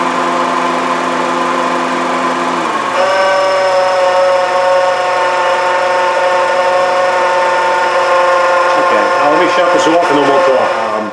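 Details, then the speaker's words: 2011 Honda CR-V, very loud noise at start-up, checked with a long tool. At idle the note jumps into a loud, steady metallic whine when the compressor engages, changing pitch as it cycles. Cause: AC compressor bearing noise; the compressor is to be replaced. "That noise is absolutely coming from the AC compressor. I had a feeling it was going to be because whenever the compressor turns on and off, you can hear the pitch change pretty drastically."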